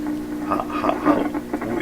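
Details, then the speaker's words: 1928 RCA Victor Model 28V radio with dynamic speaker: steady, distinct mains hum drones under faint program sound and stays constant through the speaker; hum source not found despite searching. "that hum is definitely annoying that's that's a pretty darn distinct um"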